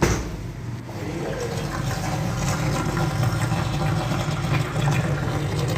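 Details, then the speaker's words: Refrigerator, right after closing the door: a watery gurgle and bubbling from the compressor side as suction pulls air through the drain water; harmless, with cooling working normally. "तो कुछ ऐसा सूंड आ रहा था कि जैसे भी पानी में गिरा कि नष्ट हो चुके है जैसे दरवाजा बंद करें वैसे पानी में यह कुछ पीना स्टार्ट होकर"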